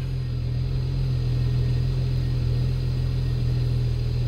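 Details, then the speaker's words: BMW N54 after home-method valve carbon cleaning: the petrol engine idles with an even, deep rumble and less vibration. Secondary air pumps are running and hiss can be heard because the intake is not fully assembled. "i trochę mniej wibruje. O, teraz panie to gada."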